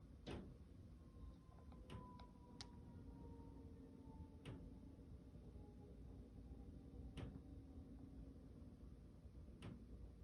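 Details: 10-storey condo built 2020, top-floor corner unit, banging from ceilings at varying locations, boilers and AC not above the unit: sharp isolated knocks at uneven gaps over a quiet hum; intermittent banging, source unknown.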